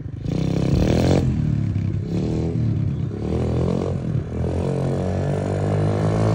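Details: SSR125 single-cylinder pit bike, first test ride after rebuild (valve had been too tight), started in neutral, idle slightly low: revs up and down cleanly through throttle blips, no knocks or rattles; quick up to third gear. Normal running.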